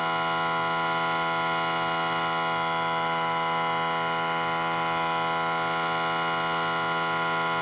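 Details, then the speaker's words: Central Pneumatic 95275 3-gallon 100 psi pancake compressor after fixing the gasket/ring problem, previously not building air: steady, even motor-and-pump hum, pressure building slowly, later auto shutoff; normal compressor run. "okay that is taking quite a while but we are actually pumping up now so that was that was a problem"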